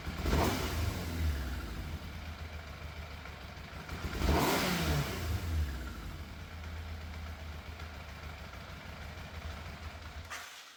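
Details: Fire-damaged Yamaha FZ750 four, 41,000 miles, choke confirmed off, idle hard to set: lumpy uneven idle with throttle blips, cylinder missing intermittently; middle two exhausts cooler than outer two, cause unconfirmed.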